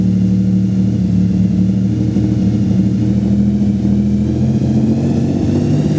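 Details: Nissan VG30DETT engine making a strange sound: a steady drone with a wavering low hum as it revs slightly. The source of the odd noise is unclear.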